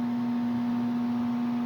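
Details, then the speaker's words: HVAC furnace flashing a four-flash diagnostic code, flame no longer lighting: steady low electrical hum at one pitch with no ignition or airflow; owner suspects the fan motor or its capacitor, not confirmed. "that's the noise I was hearing last night and uh yeah now the Flame's not even kicking on but it was kicking on a while ago yeah that noise right there is what's bugging me I think it's the fan motor"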